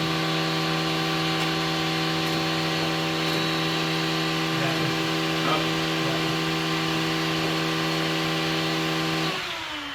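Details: 1966 Pontiac LeMans parked 3 years, new battery, fuel pump relay; steady starter whir with even cranking pulses for about nine seconds, never firing: cranks but won't start, fuel pressure unknown, owner suspects jets, cause not confirmed.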